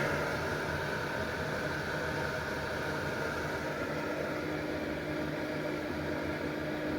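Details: Early-1990s Lakewood model 767 heater, 120 V, 1500 W: switched from about 695 W to 1500 W, the fan speeds up into a steady, even rush of air with a faint constant hum and no rattles; running normally on high.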